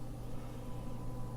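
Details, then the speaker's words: Small fan for a new DP50V2A power supply enclosure, bench-tested at about 100-120 mA: faint, steady low hum, no rattle, buzzing or bearing whirr; runs quietly, normal fan operation. "pulling a little bit of air and put it a bit closer to the mic so you can hear it so that's really quite quiet"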